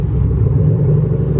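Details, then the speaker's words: Buick LaCrosse Super that keeps overheating, with check engine, brake and ABS lights on: deep even rumble with no knocks, ticks or misses; engine itself sounds normal. "except that you hear that you sound good you sound good"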